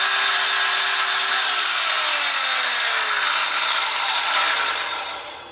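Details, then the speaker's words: Skill saw powered by a DPS5015 buck converter set near 22 V with the overcurrent limit raised, because it draws heavy starting current: high, smooth whine falling steadily as the blade coasts down, with no rubbing or grinding. Normal. "so it's interesting this requires a lot of amps to get it rolling but it likes they seem to like certain voltages"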